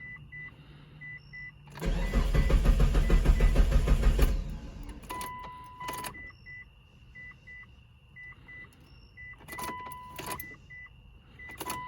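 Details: 2006 Mitsubishi Eclipse GS after fuel pump replacement, with the key primed 3–4 times before cranking. A short crank, then the engine catches quickly and settles into a steady, even idle while the door chime beeps. Starts and idles normally.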